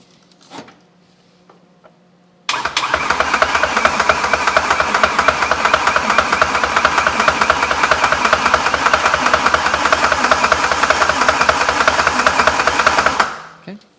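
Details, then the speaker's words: BMW S85 V10, sitting nearly ten years, on standalone engine management: slapping from the top of the cylinder heads while cranking with no firing, from low oil pressure; owner says it fades once repeated cranking builds pressure. "now we stop you can hear that slapping sound coming from the above on the top of the cylinder heads"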